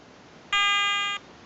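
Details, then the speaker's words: Garrett ATX pulse induction metal detector, new, at startup: clean, steady high electronic tone for about two-thirds of a second in a quiet room as the automatic frequency scan finds a quiet operating frequency. "okay she's getting nearly finished with the frequency scan it's going to find a nice quiet frequency to operate on okay three beeps and she's found a nice quiet frequency"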